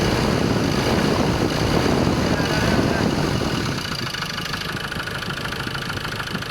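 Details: Ford Ranger 2.2 XLT 4WD, manual transmission, at idle: steady rapid tapping about three knocks a second over the diesel clatter, staying even as the engine settles; engine knocking.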